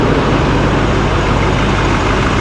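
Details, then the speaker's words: 2024 Chevrolet Silverado High Country Duramax diesel after replacing a turbo damaged by plastic: steady, deep diesel clatter at idle with no turbo whine or whistle; runs evenly and sounds pretty good. "for the most part, it sounds pretty good."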